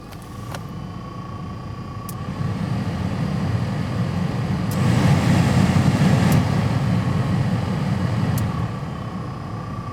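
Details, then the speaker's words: Pontiac Vibe with newly installed replacement blower motor: rattle gone but a faint steady high buzz rides over the fan's air rush; the new blower motor itself buzzes. "it sounds like the rattle has gone away but there's just a little bit of buzz that i can hear maybe from this angle you can hear it a little bit better"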